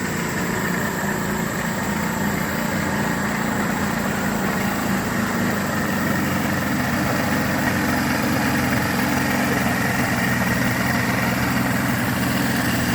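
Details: Yamaha 225 hp outboard after JB Weld repair of holes between cylinders 5 and 6, with compression of 120–128 psi (120 on the repaired cylinders): even, steady low idle with a soft uneven burble, no knocking. Normal idle.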